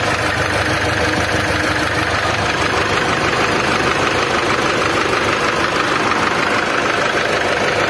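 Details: Old Mitsubishi Triton diesel: coarse, gritty, uneven clattering idle; engine rough, white smoke smelling of fuel, lacking power. Rough idle.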